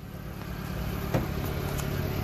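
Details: Subaru Sambar Hicab Japanese kei truck (KS4/KS3) at idle, parked with the parking brake on: very quiet, even idle with a soft low hum and no knocks or misses. Normal, healthy idle.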